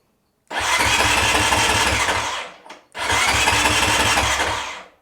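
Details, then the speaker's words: Honda CRF 450 RL, crank no start: two even two-second starter bursts, engine never catches; fuel pump not priming, relay heard clicking, power reaching pump. "I'm gonna put Power to fuel pump make sure it's not priming because it's not priming right now"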